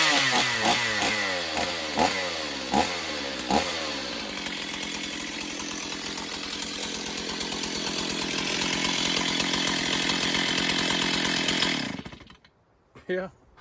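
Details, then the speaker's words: Stihl 028 Wood Boss chainsaw, unused for a long time: sharp throttle blips, then a steady high-revving snarl held and cut clean; it runs well but is weak and still needs tuning. "I don't think there's anything wrong with her. I think just some tuning and a little bit of servicing, I think this thing will be great."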